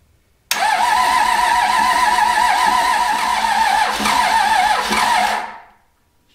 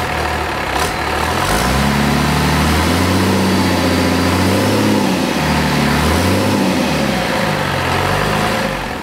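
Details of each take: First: Cummins diesel junkyard engine, raced-out, being revived for a square body truck, fuel leaking at fuel filter: fast steady cranking about five seconds, almost catching but not firing; hard start. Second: Cummins diesel junkyard engine after first run, injectors had been stuck from sitting, timing plug missing, oil and fuel leaks: fires and runs with steady clatter through throttle blips, no misses; running on all six.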